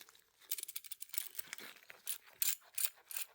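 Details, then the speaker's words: 2013 Mazda 3 manual transmission removed for clutch replacement: worn clutch throw-out bearing turned by hand gives gritty, uneven clicking and scraping; transmission, found with no oil, also has a failing shaft bearing. "Now, this customer had two noises coming from his transmission. We had one coming from the throw out bearing right here."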